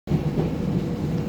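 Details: Kenmore 70 series dryer running: low rumble with rhythmic repeating thud following drum rotation, no squeal; thumping noise, owner suspects drum (tub) or rollers, unconfirmed.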